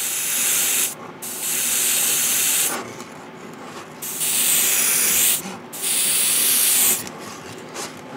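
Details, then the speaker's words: New Gaahleri GHAD-39 Advance airbrush, paint now flowing: even steady hissing bursts of one to two seconds, clean starts and stops, no crackle or spitting; smooth, controllable spray. "oh yeah that's more controllable oh yeah when you don't hear the actual crackling and ging like that now you have control much better"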